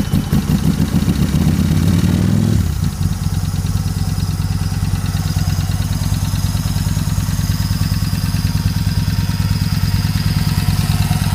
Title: Bike in Grass Hard Start